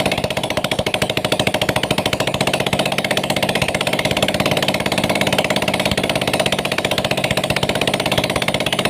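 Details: Yamaha Mio Sporty scooter, single-cylinder, idling with exhaust refitted after camshaft rocker arms (in and out) were installed and oiled, starting on the first kick; crisp, even putter with no misses or knocks, engine now smooth and normal after the fix.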